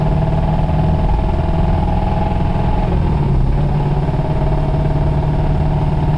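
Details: 1991 Toyota Celica ST petrol engine idling: light, steady tap keeping time with the crank under the exhaust drone, a bad rod bearing knocking; it threw a rod about 15 minutes after recording.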